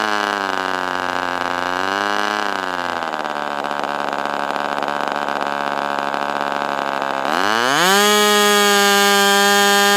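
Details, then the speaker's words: Ross Black Demon 61 glow engine on first run with Perry carburetor: high tone sags, wavers, then surges back; the carb barrel binding near idle prevents a steady low speed, hovering around 4,000-plus rpm before dropping off. "So, it's hard to actually find an idle speed, but I'd get it to what I It seemed like the lowest movement and it would still be like 4,000 something and then it would go way down and then just die off."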